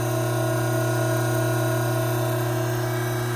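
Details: Hydraulic pump under normal operating conditions, with 3 inHg inlet vacuum, normal temperature and about 310 psi, before an inlet restriction is added: steady, even hum and constant low drone, with faint music.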